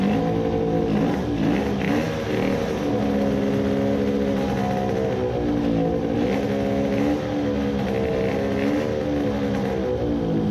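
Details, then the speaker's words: 50cc racing two-stroke moped with newly fitted Italian race carburettor: high-pitched howl wandering up and down, never holding steady; lean and uneven. "at low rpm it was lean and at full throttle it was sputtering the main jet is too large"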